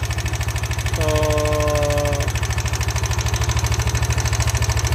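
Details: Yamaha NMAX v1 scooter overheating and losing coolant, idling with a rough, rapid ticking knock about 200 per minute over a steady drone; coolant shows oil traces and bubbles; cause unconfirmed.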